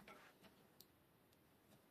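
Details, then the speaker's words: Bicycle disc brake after removing and degreasing oil-contaminated pads and disc and readjusting rear brake: spinning wheel gives only soft freewheel ticks, no squeal or rubbing; cleaned disc brake runs quiet. "votre vélo ralentira. bonne qualité. il n'y aura pas de sons parasites. tout ira bien !"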